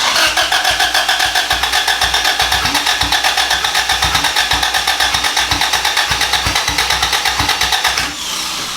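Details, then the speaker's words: Boosted B18 engine in an EG Civic hatch, first start attempt after the motor sat out of the car for a long time: steady starter cranking at about four beats a second, engine almost fires but never catches; crank, no start. "so the fact that it even almost fired up is sick try it so hard dude it's trying so hard why no go huh"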